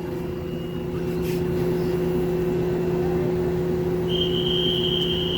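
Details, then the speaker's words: Lloyd 1.5-ton inverter AC outdoor unit bought April 2023, noisy since installation and not fixed after two service visits, no vibration seen: steady low hum with a deeper drone and a higher whine near the end; loud humming noise. "there is a noise the humming noise one is buzzing one is hump"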